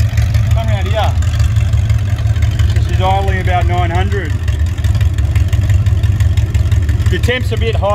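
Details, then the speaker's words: Ford 302 Windsor V8 on an engine test stand, running after 12 years unstarted: a deep, steady idle rumble with clean throttle blips, no knocks or misses. No smoke and good oil pressure; the engine is healthy. "so we've got the engine running I can't believe it twelve years it hasn't run and there's no smoke blowing out or anything like that"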